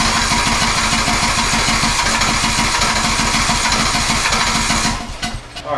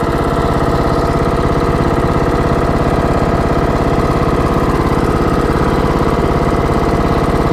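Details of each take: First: TroyBilt riding mower from April 2008 cranking steadily for about five seconds without catching, despite having spark. It wasn't getting enough gas, so a quarter tank was added to reach the fuel filter. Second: TroyBilt riding mower that shuts off after 15-25 minutes: a steady, even thrum with no misses, surging or knocking. Runs smoothly, purring.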